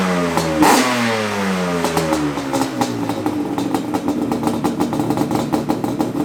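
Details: Yamaha Banshee 350 two-stroke, freshly reassembled with a new radiator and fuel line and running 32:1 castor premix: a crisp ringing crackle that climbs and falls cleanly with each throttle blip, with no misses or knocks, so the engine revs healthy.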